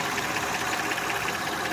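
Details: Honda Odyssey engine idling with a rapid, even ticking knock, no load; noise began about 3 years ago and keeps getting louder; owner considering valve adjustment; cause unconfirmed.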